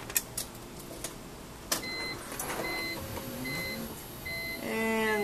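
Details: BMW E46 M3 convertible top motor after replacing the metal motor cover under the rear seat: steady electric whine rising slightly near the end, with none of the former clicking as the lid closes; top motor runs normally.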